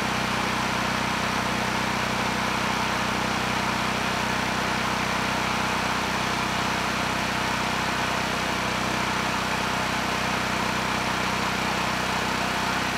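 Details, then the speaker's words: Honeywell HW5500 5500 W generator, 337cc engine, after the repair: old gaskets, Hipa carburetor and a good tank fitted. Even, constant drone with no surging or hunting, running a little fast; normal running. "finally this is a working generator and this one it was supposed to be easy just throw on a new carb throw on a good tank and call it done"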